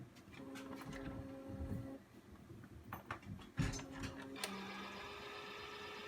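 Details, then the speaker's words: New Epson SureColor P600 printer, first use, front manual feed tray loading thick media: short motor whirr with steady hum and mechanical clicks as rollers grab the sheet; normal paper feed. "Oh my goodness. Alright, so it just grabbed the paper."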